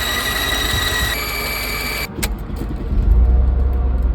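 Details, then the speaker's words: 2002 Mercedes-Benz C32 AMG supercharger producing no boost, with a raw knock and high-pitched bearing-like sound: steady piercing whine jumps in pitch then cuts off, engine rumbles on; whine source unclear, owner suspects supercharger. "Creating no boost at all. It's creating some sort of raw knock sound. And some sort of high-pitched bearing sound."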